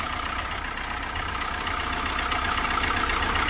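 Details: 2005 first-generation PT Cruiser after another shop replaced its oil pressure sending unit, oil leaking near the sensor, oil light on: steady idle with a sharp knock about four per second and heavy blowby. Engine knock from oil starvation.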